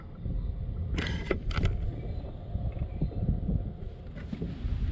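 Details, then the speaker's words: eBay 12V 5kW diesel air heater installed in a caravan, running on high: a steady low roar from the burner and fan, with faint ticking from the fuel pump and no rattles. Normal running. "very very quiet when some low very quiet guys really really quiet they hardly make any noise you hear the ticking sound from the pump the guys you gotta think a 12 volt fan in the summer would make more noise than what this thing would"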